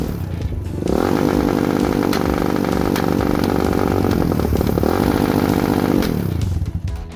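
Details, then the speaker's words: Lifan KP Mini 300 with a 4-valve ZS175FMN engine swap, air filter and exhaust pipe removed: revved and held high for about five seconds, the note ragged near redline. The carburetor still needs tuning. "definitely got to tune this carburetor which I already knew that but just wanted to show youall what it sound like at Red Line in different profiles on the uh throttle so"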